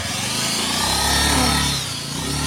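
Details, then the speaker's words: Scooter test ride after replacing the CVT roller set and roller housing (aftermarket) to fix a strange noise and weak pull at take-off: pulls away smoothly, pitch rising evenly, no rattle or grind; a remaining whine comes from another part, not the CVT. "enggak ada suara kayak apa tadi lagi guys ya"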